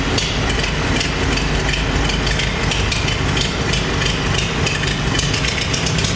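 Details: Farmall 350 diesel tractor after rebuild, block warm but temperature gauge low (thermostat suspected): loud idle clatter with uneven lumpy beat, one cylinder not pulling; cracking No. 1 injector didn't change tone; fires on all four when lugged in 5th.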